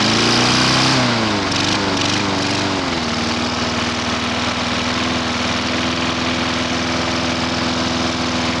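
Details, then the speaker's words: Non-running lawn mower with very weak spark, pulled slowly and started: catches after brief stumble then settles into steady, even run with no misses or knocking — normal running. "It's alive!"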